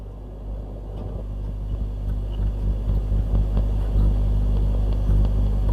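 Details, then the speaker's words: Transistor radio amplifier (AF117 stage) with a constant low hum and scattered scratchy crackles; owner suspects a capacitor issue in the amplifier or a noisy driver; a broken joint is suspected afterwards. "I don't know if you can hear that huming if I put my so we've definitely got um probably a capacitor issue in the amplifier"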